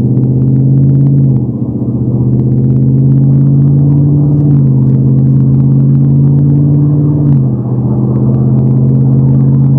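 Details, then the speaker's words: 2021+ Ford F-150 5.0 Coyote DOHC V8 cruising: the steady exhaust drone steps down in pitch as cylinder deactivation drops it to four cylinders, then returns on added throttle; normal operation. "Hear that? It sounds like walls. Now I'm going push the throttle a little bit. Disappears."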